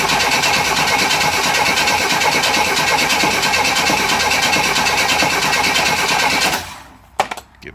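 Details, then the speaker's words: 1963 Chevy Nova 194 inline-six after cylinder head rebuild, first start, radiator and valve cover off: steady fast cranking about three pulses a second, never catching, while fuel is pulled up to the empty carb and the oil pump pre-lubes; normal. "So I'm going to have to crank it a bit to get the fuel up to the carb. The carb is completely empty, and that's just fine, because I'll give a chance for the oil pump to run and pre-lube the engine."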